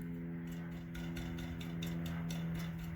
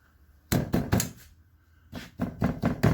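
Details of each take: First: 2012 Chevrolet Cruze exhaust, engine idling, tapping on the catalytic converter: crisp even taps with no loose inner rattle; the cat is solid, though the muffler has a broken-loose baffle. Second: 12-year-old 2012 Chevy Cruze exhaust, tapped underneath: three hollow knocks, a pause, then four more; loose rear exhaust heat shield and worn, very loose rear muffler hanger letting the muffler move and thump.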